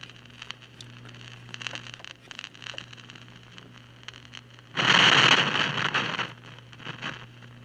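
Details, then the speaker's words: Mid-1960s General Electric vacuum-tube AM/FM table radio on AM: irregular crackles and pops over a faint hum, with a loud hiss burst, from arcing, failing silver mica capacitors inside the IF cans (silver mica disease); noise later also appears on FM. "so unfortunately this is suffering silver mica disease so a.m. is dead or noisy I guess"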